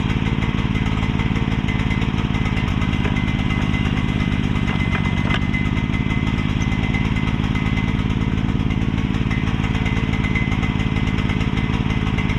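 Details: Mini excavator with pull start, bought broken from a neighbor and just repaired; small single thumping at a rough, slightly uneven idle, running rich because the choke was never turned off.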